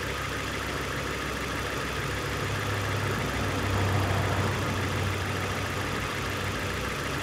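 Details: 2002 Nissan Sentra 1.8L with P0300 and rough idle complaint: uneven, lumpy idle stumbling three to four times a second; cylinder 1 misfire, with the spark plug not seated flush and the ignition coil possibly crushed.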